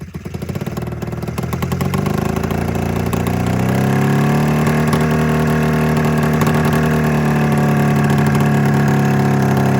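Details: 27-year-old Mountain Cat snowmobile two-stroke twin after an ignition coil replacement: catches and settles into a lumpy, uneven idle, still firing on only one cylinder. A fuel delivery problem is suspected.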